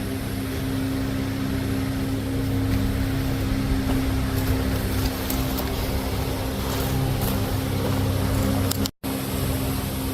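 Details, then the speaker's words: John Deere L110 after a carburetor replacement, cranked with a jumper pack directly on the starter and the seat sensor not jumped properly: steady droning crank with no pitch change and no firing for ten seconds; cranks but won't start. "All right, we're cranking over here using the jumper pack directly on the starter."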